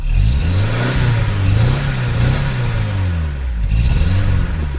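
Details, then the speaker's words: Vauxhall Cavalier GL, 1.8 litre SRi 130 top end, 45,000 miles: clean on gentle throttle but stumbles and wavers when opened up, as if fuel-starved; misfire blamed on faulty injector, injector replacement planned, tired K&N filter. "You can hear as it's clean and gentle on the throttle. It's okay, but if I give it too much, that's like it's not getting enough fuel."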